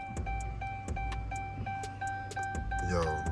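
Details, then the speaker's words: 2014 Dodge Charger R/T 5.7 with a Hellcat fuel pump just installed in place of the stock pump, key-on priming: a steady mid-pitched electric hum with light clicks around it. The new fuel pump is priming and working normally. "All right, so we're gonna prime it one more time. Like, just listen to the fuel pump, just listen close."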